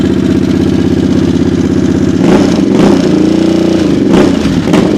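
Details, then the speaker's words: 2022 Harley-Davidson Sportster S in neutral, warming up: deep even V-twin lope with a steady firing beat and a couple of clean throttle blips; healthy, crisp idle and exhaust sound. "all right that's a good sound of exhaust right there guys this thing this thing is crazy"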